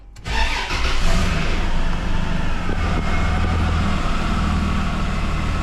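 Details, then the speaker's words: 80 series after an exhaust leak repair, started in park; catches quickly and settles into a smooth, even, deep idle with no ticking or puffing and no leaks. Normal start and idle. "That sounds pretty good so [Music] far. No leaks."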